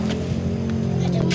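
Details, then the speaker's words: 2012 Daihatsu Gran Max blind van, just started: short stretch of steady, even low hum with no knocks or stumbles; engine running very normally, normal idle. "motor mesinnya normal sekali"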